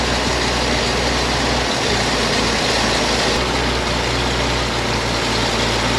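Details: 1956 GMC 630 fire truck, 503 straight-six, rescued off a farm and running on fuel primed into the carburetor: deep, steady rumble idling evenly over heavy background hiss. The engine runs smoothly.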